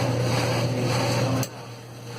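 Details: 1984 Whirlpool automatic washer after repair, first spin test since spin had stopped working: steady low motor hum as drum spins, then level drops; spin runs normally, though owner notes shaking and a slightly wobbly pulley.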